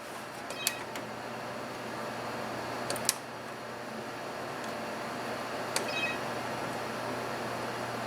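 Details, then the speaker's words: HP Vectra VL Series 4 5/133 PC: a few irregular sharp clicks from the CD-ROM drive over a steady fan hum. The owner thinks the drive might be dead and need replacing; the cause is unclear. "that is coming from the computer can you hear that huh well that might be dead so I'm probably going have to replace that"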